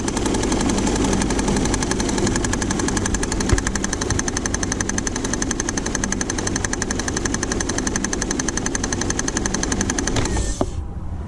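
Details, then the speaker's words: 2000 Saturn L300 3.0L V6 idling after a timing belt job: fast, regular ticking knock until shutdown, first suspected from the third pulley or timing belt, traced to a wobbling power steering pump pulley. "you hear that noise that sounds like that's coming from the third pulley on that could be developing something"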